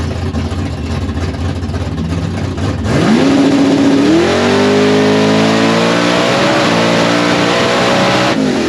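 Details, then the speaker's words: Drag car "Babe the Blue Fox" on a pass at Brainerd International Raceway: engine pulls up through the revs with a ragged, uneven note under load; misfire, first blamed on an unclipped plug wire, actually from a broken spark plug. "I didn't like the way it sounded so there's no reason to ruin anything I didn't thought it was a spark plug issue but obviously I don't think it was so God I don't know what that could be"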